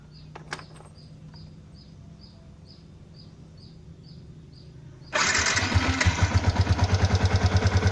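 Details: Stock Yamaha Exciter 150 at 8,147 km, coolant untouched for half a year: catches after a few quiet seconds, then idles with steady tapping about three per second. Owner asks whether it is tappets or the clutch basket.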